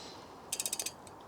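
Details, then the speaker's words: Rear wheel with an old Sachs/SRAM 3-speed hub, off the bike: about seven quick, crisp pawl clicks in half a second, then stray ticks as it slows; normal ticking, quieter than the Sturmey Archer. "You can see that when it rotates, the hub makes a noise. This is an old Sachs or SRAM 3-speed hub."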